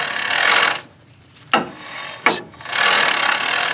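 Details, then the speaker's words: 2013 Ford F-150 3.5L EcoBoost front hub with vacuum released: dry rasping and two sharp clicks as the IWE only partly engages 4x4; weak spring in the integrated wheel end, which needs replacing. "that's supposed to engage in 4x4 when there's no vacuum and it doesn't quite do it so what's that is telling me is that the spring in the iwe inte integrated wheel end the spring is weak and it's not engaging"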